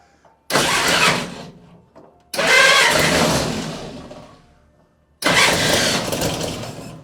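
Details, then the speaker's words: Willys CJ2A first start attempt, fed from a gas can with the bowl backfilled with brake clean: three sluggish, uneven cranking bursts of a couple of seconds fading without catching; starter (not relay) sounds bad. "Cross your fingers. That starter doesn't sound good."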